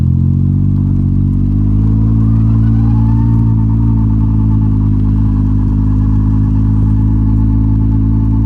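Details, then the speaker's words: Can-Am Ryker just back from its 12,000-mile service, fuel pump replaced: steady engine drone with a faint tone rising around 1 kHz as the drive takes up; whine on engagement, owner wonders if it's a belt breaking in, unconfirmed. "all right do you hear that right there H who knows maybe it's just a belt breaking in you know you're going to ask me to remember like what this bike sounded like 12,000 miles ago"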